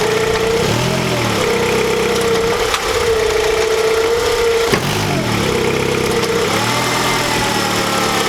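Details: 2008 Honda CR-V engine, recorded in a before/after check around replacing the lower rear torque mount (a worn one caused violent shaking): starts, settles into a smooth, steady idle, then revs up and down cleanly with no knocks, clunks or shudder.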